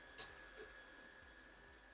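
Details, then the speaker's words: Hobby King Galloping Ghost park flier electric motor on a stand after propeller balancing. Before balancing the prop was very loud and shook the plane; now a faint steady high whine, no buzz or vibration. Motor and bearings sound good, smooth run. "so as it is now it's just motor noise you can't really hear any buzzing or anything of the sort you can just hear the motor spinning"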